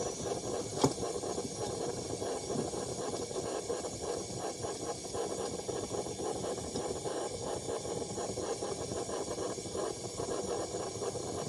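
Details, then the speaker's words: Vintage Coleman pressure burner, apparently the 1952 252 military-spec under repair (the 1950 242C is also restored): a steady, even hiss for about twelve seconds with no sputter or surging. It is burning properly and works. "Getting closer all the time. Listen to that sucker. That works."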